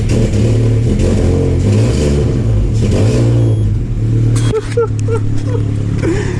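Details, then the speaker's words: Peugeot 307 CC started with the original lambda sensor removed, leaving an open sensor hole in the exhaust: loud, harsh rapid puffing rasp that swells with revs as exhaust gas escapes; exhaust leak. "Alors, vous êtes d'accord avec moi, il y a déjà une sonde lambda. Il y en a déjà une. Et du coup, ce serait marrant, là, il y a un trou, vous voyez. Vu que je suis un gamin, on va faire un truc. On va démarrer l'auto, là. Ça va faire un bruit, mais de l'enfer."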